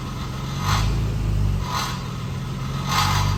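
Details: Late-model Toyota Tacoma in gear, loaded with foot on brake: a tinny metallic rattle in bursts about once a second from the catalytic converter heat shield.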